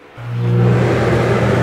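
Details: Dometic RV rooftop AC after swapping the analog control and thermostat for digital ones; before the repair the compressor ran but the fan didn't. A steady low hum builds and holds an even, smooth drone. Fan running normally on high.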